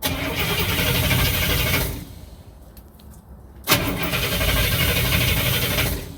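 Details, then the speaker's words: 1967 Cadillac hearse, first start attempt after top-end checks and repairs, cranked in 5-second bursts to build oil pressure: even starter cranking, pulling good vacuum, no start yet; it fires shortly after. "Do it like two more times. That should get oil up. We're pulling good vacuum."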